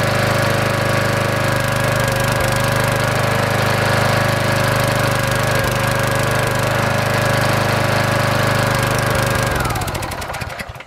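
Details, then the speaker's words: 5 hp Briggs and Stratton small engine after testing and replacing the ignition coil. Steady fast four-stroke beat with an odd skipped or uneven pulse before shutdown: a slight miss, and the owner suspects the carburetor needs cleaning. "sounds like it's missing just a little bit there it might need to carburetor cleaned but it is gonna run it's a lot better than what it was for sure"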